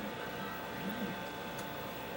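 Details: Vintage GE 14T007 television during repair, audio now much louder: a steady, raspy buzz with evenly stacked tones sits under the set's sound. Audio buzz, cause unknown.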